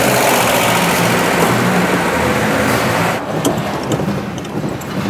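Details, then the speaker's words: Petrol engine run on fuel stored in canisters for one year, fed from a canister acting as fuel tank: loud, uneven stumbling beat with popping when pulling away; rough running, fuel apparently gone stale. "а на холостых еще как это работает надеюсь вам слышно от данного человек не хочет [музыка] былина почему а потому что похоже бензин действительно выдохся"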